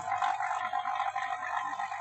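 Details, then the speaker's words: Vacuum pump on a double manifold evacuating a non-cooling freezer box before charging with LPG as refrigerant: loud, busy rushing drone with no knocks. Still pulling air, and it will settle quieter and stable once evacuated after about 10-15 minutes. "nanti kalau suara vakumnya sudah dirasa sudah stabil ini kan dia masih keras ya suaranya jadi kalau udaranya sudah habis itu ciri-cirinya mesin waktunya mesin vakumnya itu suaranya stabil pelan gitu ini kan suaranya masih agak keras"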